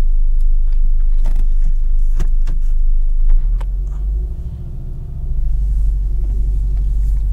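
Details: Car with a new stage three daily DXD clutch, driven from cold: light, uneven ticks and knocks over the road and engine rumble, not heard when stopped; owner suspects the clutch hydraulic line knocking against the chassis leg.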